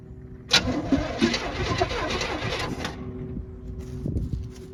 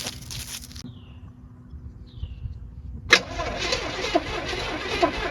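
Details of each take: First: 1940 Chevy truck project with a free motor: starter spins the engine over at an even pace for a couple of seconds without catching; it turns freely and isn't seized, and the owner thinks it will fire right up. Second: Old motorhome engine, eyed as a donor motor for a 1940 Chevy truck, on a replacement battery after sitting for a long time; steady starter cranking, turns over freely but doesn't fire. Owner suspects corrosion on the distributor rotor button.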